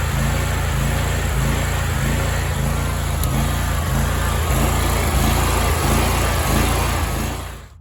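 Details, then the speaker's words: Big Dog Stout riding mower engine at low unloaded idle, surging for two years: speed rises and drops rhythmically several times a second; cause believed to be leaking carburetor welch plugs, fixed by replacing them. "So This Is Our Big Dog lawnmower it's the Stout model and for the past couple years it's really been surging a lot you can just hear at a low idle or just setting not under a load this served"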